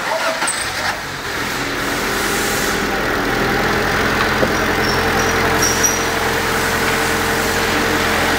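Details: 2005 Honda Civic 1.6 petrol, 310,000 km, catalytic converter removed, after rear suspension work: smooth, even idle hum with no ticking, knocking or misses; engine about 1 litre low on oil, topped up; idles normally.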